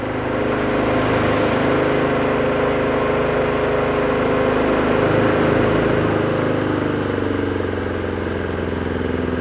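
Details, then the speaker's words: Neglected Honda Harmony II HRS216 mower after cable replacement, carburetor service and tune-up, first pull outdoors, choke then removed: slightly weak-sounding but steady, even single-cylinder buzz with no misses or surging; normal running. "Âm thanh hơi yếu nhưng kéo đầu tiên không tệ."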